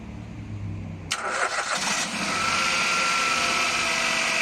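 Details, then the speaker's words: Nissan Micra just after oil, oil filter and air filter change: starter cranks briefly, engine catches and settles into smooth even idle, no knocks or misses, running better than before with new oil; no leaks found underneath. Normal idle. "On entend bien le moteur tourner mieux qu'avant. C'est normal, nouvelle huile, donc le moteur il est tout content."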